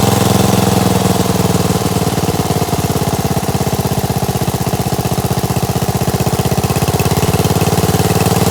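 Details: 16HP Briggs engine on a Gravely 816S with an Amazon China carburetor, not run for about a month, on a rigged-up ignition: even, steady idle with no misses, knocks or hunting. The engine is healthy.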